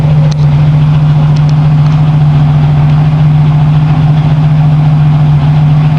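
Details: 1989 Chevrolet Celebrity CL wagon, 3.1L with a single muffler, recorded at the exhaust tip at idle: a deep, steady drone with no misses, puffs or rattles. Owner notes an old lifter tick; exhaust sounds healthy.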